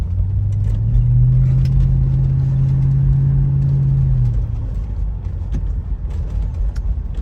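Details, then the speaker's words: Toyota 100-Series Land Cruiser driving after exhaust leak repair with welding: smooth, deep, steady exhaust rumble, not too loud, no rattles or leaks, and the pipe no longer hits the chassis. "I'd say this is a job completed. No rattles. The pipe doesn't hit the chassis anywhere. It's the perfect amount of uh rumble in the car. Not too loud."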